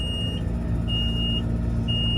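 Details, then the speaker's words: Tractor being towed in neutral because it won't select forward gear: three evenly spaced high beeps over a low engine rumble; warning beeps, and the owner suspects rodent damage on top of the transmission. "Yeah, it's saying something there. Don't know what that means. I just obviously won't select the forwards gear."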